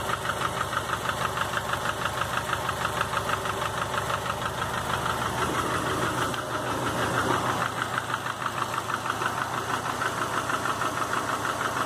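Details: 2005 Subaru Legacy GT with a refurbished block (new crank and bearings, used rods, pistons, heads, VF40 turbo), warm idle, 22 psi oil pressure, new plugs, no exhaust leaks: steady pronounced knock about three per second; cause unknown.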